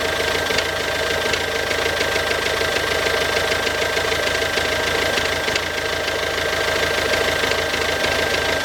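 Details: Ford Focus C-Max 2007, 1.6 TDCi 90HP diesel running with a rattly idle and a steady, fairly regular knock about three per second; engine knocking noise, cause not yet known.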